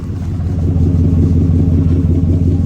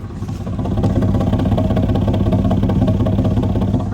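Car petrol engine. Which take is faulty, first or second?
second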